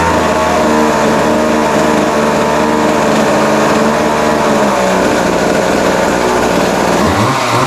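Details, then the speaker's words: Vintage late-60s/early-70s Montgomery Wards Featherlite 10" two-stroke chainsaw after adjustment, no chain oil yet: loud crisp buzz holding steady with clean rev drops and pickups, chain spinning; normal running. "wow well how about that I mean actually sounds pretty good um yeah it started easy after we got it adjusted that second time"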